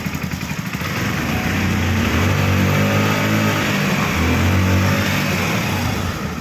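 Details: Hero Splendor Xtec E-20 (described as Splendor Plus 2013) that stalled while riding, after replacing the faulty throttle body: smooth throttle blips, note climbs cleanly and drops back without stumble or misfire, healthy revving.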